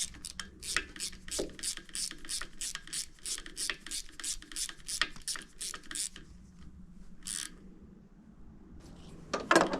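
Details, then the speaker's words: Kubota D905 diesel (Lincoln Ranger 300 welder) at operating temperature, cranked with gauge in cylinder 2 glow plug hole: even cranking pulses, no firing; cylinder 2 about 350 psi versus 370–380. "cylinder number two is about cylinder number two is about 350 psi cylinder 2 and right around 370 380 is"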